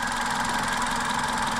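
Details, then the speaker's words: Toyota Avensis 1.8 VVT-i after repair for hunting idle, engine reassembled, heard with bonnet closed: short, even idle hum with a faint whir, possibly one pulley, revs holding flat with no hunting; runs smoothly, normal idle. "Ale naprawdę super chodzi a tak chodzi aktualnie na zamkniętej masce praktycznie go nie słuchać jakaś tam roleczka może jedna"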